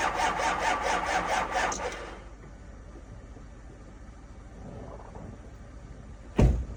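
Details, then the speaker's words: 2005 6.0 diesel, cold start at 15 degrees in New York, on two batteries and a jump pack: starter turns the engine in uneven pulses about two a second, then stops; cranks but never fires. "And that's that, bro. They don't always start. That's 2 batteries and a jump pack. It almost went. We're close."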